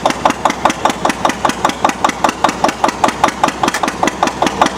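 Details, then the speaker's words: Antique Witte single-cylinder diesel generator, 60 W light bulb load just removed; slow even thump about two and a half beats a second with no knock or miss as the governor idles it down smoothly: normal governor slowdown after load removal. "Now it's gonna slow down. Look at that. It's an incredible machine, isn't it?"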